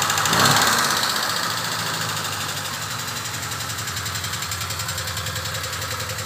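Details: Peugeot 304 idling: sharp, regular ticking clatter about four per second over the hum; abnormal engine noise, cause suspected but not confirmed.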